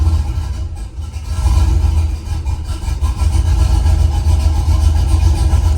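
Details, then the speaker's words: Truck with an aftermarket cam on the factory tune: deep lumpy idle that sags and surges and won't settle; it stalls and needs throttle at start while idle airflow (~4 g) relearns. "So basically, okay, for it to idle, I have to give it gas and slowly let go and give it time to learn the idle airflow."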